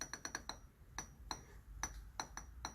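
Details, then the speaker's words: Used eBay replacement supercharger for a Saturn Ion Redline, hub turned by hand: irregular sharp metallic clinks and ticks as rotors catch; sounds very bad, damaged supercharger rotors. "But this sounds so bad. Man, thank God I checked it."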